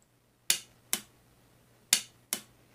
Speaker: that's a working solenoid thats what it should be doing when it clicks